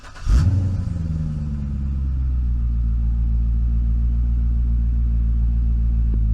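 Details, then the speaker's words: Salvage Corvette at Copart Dallas, started with a jump pack: short crank catches at once and settles into a smooth, even, deep idle, dead quiet with no knocks or ticks; normal start and idle. "let's go ahead and see how the engine sounds dead nuts quiet i'm jumping for joy anytime something like this comes into the shop"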